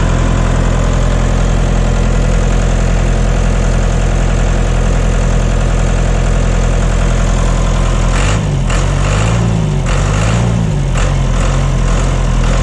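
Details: John Deere 2030 diesel tractor, cold and not yet warmed up, idling right after reinstalling the overhauled and calibrated Stanadyne/Roosa Master injection pump: a deep, even chug with no misses or knocks, no blue smoke, burning clean; normal idle.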